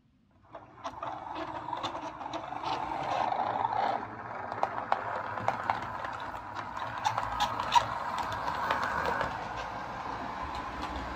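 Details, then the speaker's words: Lima Eurosprinter model locomotive under power: thin squeal over uneven rattling, reluctant to pull away, something loose inside; owner suspects it needs lubrication. "so as you can hear there yeah that's uh it's squealing a bit um that probably just needs a bit of lubrication somewhere but um it also seems a little bit reluctant to pull away at times"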